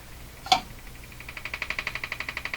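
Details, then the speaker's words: Emerson 34C tombstone tube radio on the shortwave band: after a sharp pop, a fast even ticking of about a dozen clicks per second rides over a quiet hum. Interference the owner suspects comes from his own body near the antenna, possibly his pacemaker. "now that ticking I don't know if you noticed but the ticking was going the usual interference I had as usual it's me who's"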